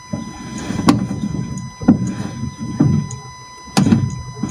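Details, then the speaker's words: Fiat front suspension, steering wheel turned with car practically stopped: sharp clunks about once a second from damper top mount, a known issue on Fiat models. "so the customer says he is turning the steering wheel with the car practically stopped you can hear a clunking noise"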